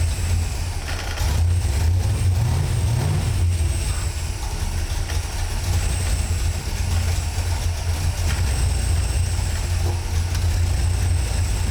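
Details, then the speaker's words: V8 with a newly installed FiTech throttle body EFI, after fuel pressure, tach wire and tach selection checks, holds a deep, steady idle with no misses, knocks or hunting; normal idle. "We should get an engine that fires, starts up, and runs."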